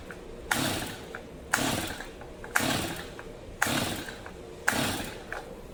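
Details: New, never-used Stihl MS 250 chainsaw, fully choked with starting fluid added: five ratchety recoil pulls about a second apart with no firing; cranks but won't start, spark plug suspected fouled or flooded.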